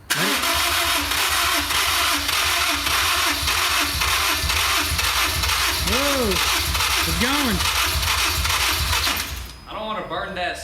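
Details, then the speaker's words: Honda S2000 from wrecked/totaled project, new battery, fuel treatment added, old spark plugs very dark; long steady starter churn with scattered firing pops that never catch, combustion maybe in one or two cylinders; hard start, cause suspected, not confirmed. "Try to kick it over. Whoa, it sounded like it actually started getting more cranks. Is that what that was? It sounded like it wanted to crank over."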